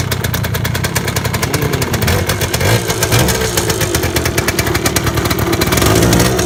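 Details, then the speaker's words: 1978 Yamaha DT175 Enduro two-stroke revving after rebuild: crackly, uneven running with a fast metallic rattle. Possibly the underguard; the owner also suspects piston slap or a rattly clutch basket. Cause unclear. "That rattling, is that in the head? No, I think the rattling is like, Keys. no, this thing. What is that? The underguard."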